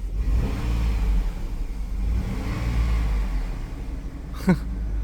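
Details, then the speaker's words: Running 2005 GMC Envoy Denali after a headlight bulb replacement: a low, smooth, even hum with hardly any mechanical noise on top; the engine runs very quietly and sounds healthy. "It's quiet as a church mouse. It's quiet as a church mouse."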